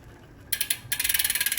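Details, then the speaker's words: Shimano Ultegra drivetrain cross-chained in 8th to 11th rear gear: fast, even metallic ticking with a scraping hiss as the cranks turn; chain rubbing the front derailleur cage from cross chaining, fixed by shifting to the smaller chainring. "This slight rubbing becomes more noisy, more apparent. This extra noise coming from the drivetrain, you can see on how much of an angle the chain actually runs now."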